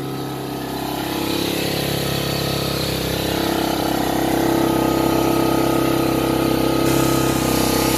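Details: 1985 Honda Fourtrax TRX250 ATV, newly acquired, just started after a few kicks with carburetor jet work: revs up on its own and hangs high with a steady buzzing drone, won't idle properly; cause unconfirmed.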